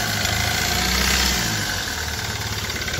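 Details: Hyundai i20 with black smoke, low pickup and a "tak tak" engine noise. Steady diesel idle carries a sharp ticking knock about three per second over the clatter. An injector problem is suspected, not confirmed.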